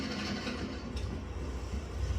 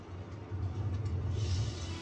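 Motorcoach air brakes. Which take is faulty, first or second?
second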